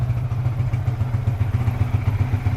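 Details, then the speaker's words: Yamaha FZ150i idling just after an oil change to Silkolene Pro 4 15W50 XP: an even, quick, low single-cylinder thump at steady idle with no misses or rattles. It sounds smooth and healthy. "Bunyi sedap. Bila dia dapat minyak baru, memang dia manja sikit. Sedap bunyi."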